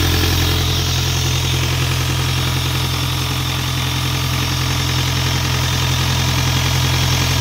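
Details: Isuzu 4LE2 diesel air-compressor engine, which previously would not start (others blamed electronics; smoke came from cylinder 4 intake), now after head work runs at steady, even idle with smooth low thrum, regular pulses about 214 per minute, no misses or knocks.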